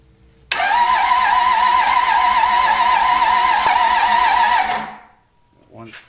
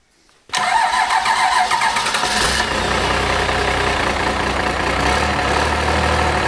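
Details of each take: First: Cummins diesel from a junkyard, old raced-out engine with head studs, being revived for a square body truck: starter spins it steadily about four seconds with no firing; air in the fuel system, oil pressure not expected until it starts. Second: Cummins diesel junkyard engine after first run, injectors had been stuck from sitting, timing plug missing and oil leak: short crank, catches at once, steady even diesel clatter at idle; starts right up, running on all six.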